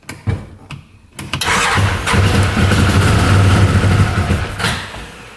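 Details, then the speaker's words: 2013 Arctic Cat Wildcat 1000cc UTV; brief cranking, catches and runs lumpy about three seconds, then dies. One exhaust pipe stays cold, so one cylinder isn't firing; owner suspects timing may be off. "we'll try listening to the engine see what's going on almost sounds like it's running on one cylinder"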